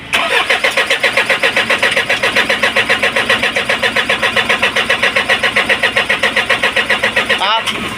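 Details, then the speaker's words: Isuzu 4HL1 diesel after injectors refitted and lines bled: steady starter churn about two and a half turns a second, no firing; crank no start from air in fuel system, fixed by pumping at injection pump bleed screw, then starts. "Sige so ayaw ang mga kayos sumandar so gagawin natin sabayin natin siya ng bomba dito sa pump ah turnilyo"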